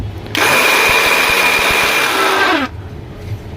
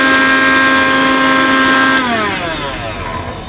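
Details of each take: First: Philips mixer grinder running with jar fitted: loud, harsh roar for about two seconds, blade wobbling; fault is in the jar (worn blade bush), as the motor runs fine with the jar removed. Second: Philips mixer grinder motor run with the jar removed: smooth, steady high whine dropping evenly in pitch at switch-off; motor is fine, the noise is in the jar's broken or worn blade bush.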